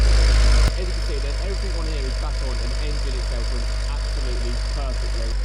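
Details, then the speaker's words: BMW 135i with N54 petrol engine (manual), just rebuilt and refitted, at startup on the driveway: deep, steady idle rumble with an even beat, no misfire or rattle; loud on startup but running smoothly, normal idle. "as you can see she runs like a beauty all the front end's back on everything here Works PO on it"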